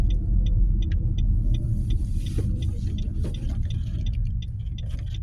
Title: nissan qashqai 1.2 rattling noise .before fixed